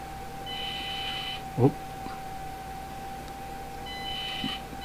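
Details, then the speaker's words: Axial SCX24 crawler with V1 radio and ESC on a bench test: a thin steady whine near 800 Hz at about 2 mm trigger pull, before the tires engage. Typical speed-controller switching whine at low throttle. "there's the wine I'm barely moving the trigger maybe 2 mm and then we got engagement"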